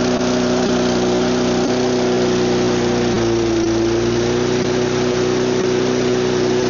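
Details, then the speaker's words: Neglected mower, no air filter or cover; the engine holds fast idle with a slightly uneven beat and a brief dip, still rough; low idle wasn't enough, cause unconfirmed. "Running. It's rough. Very rough. That was on high idle. Low idle wasn't enough."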